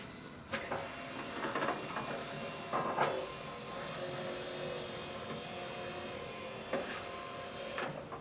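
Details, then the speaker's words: Fourth-generation Nissan Maxima (1995-1999) power antenna after mast replacement, radio switched off: thin motor whir for several seconds then clean stop as antenna retracts fully, no grinding or stalling; normal retraction. "there we go beautiful it completely disappeared down in there that's what we want to see"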